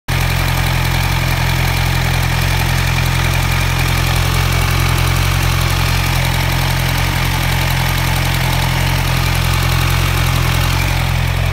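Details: 2010 Kawasaki Z1000 idling with sharp, fairly regular ticking, also heard while riding; owner suspected valves or timing chain tensioner, but cause was an exhaust leak from a loose exhaust manifold bolt.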